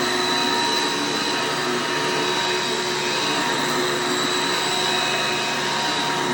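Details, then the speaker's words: Hoover Elite upright vacuum running after a belt change with a brand-new belt: loud, steady high-pitched roar with an even motor tone, no clear knock or grind; sounds smooth, though a faint cricket-like noise possibly from motor or brush bearings is suspected. "I would advise turning down your volume for the sake of this clip here, because these Elites are pretty loud here when it's running."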